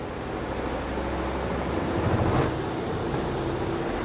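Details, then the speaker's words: Godrej 7 kg semi-automatic washing machine spin dryer, heavily loaded with clothes, after repair with a replaced dryer buffer: steady low hum and whoosh at speed, no knocking or rattling. The loud noise is gone and it now sounds normal. "उसके बावजूद भी अब आप देख सकते हैं की यह बहुत ज्यादा आवाज़ वैसी नहीं कर रहा है अब इसकी जो आवाज़ है एकदम नॉर्मल हो गई है"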